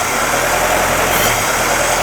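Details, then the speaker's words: 1958 Jeep CJ5 that previously cranked but wouldn't start, running on sprayed fuel into intake (fuel-supply issue, earlier flooded): steady even idle with no stumbles or missing cylinder; smooth until spraying stops. "Vehicle sounds good. I don't think it's missing a cylinder. It sounds smooth to me until I quit spraying."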